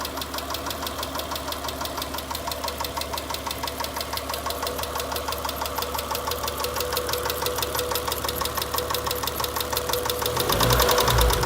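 Sharp regular knock, about three a second, ticking over the idle and getting louder as revs come up; a deep engine knock. Cause suspected, not confirmed.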